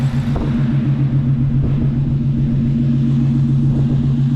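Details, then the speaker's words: Coyote-swapped SN95 Mustang with newly welded exhaust, idling: deep, even V8 burble with steady low pulses, no miss or knock; owner says she idles good and everything sounds great, a healthy idle. "but damn man she looks good she idle's good everything sounds great love it man"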